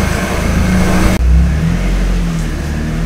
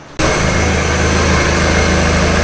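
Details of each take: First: 1999 NB Miata just fitted with a Jackson Racing M45 supercharger; engine revs then drops back to a steady low hum with an odd drone; source unknown, owner doubts it's a bearing, noise going away. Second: Idle on a 1999 NB Miata just after fitting a Jackson Racing M45 supercharger system: steady, even idle with a smooth low rumble, no knocks, misses or whine; fuel ratio to be checked via OBD. Normal idle.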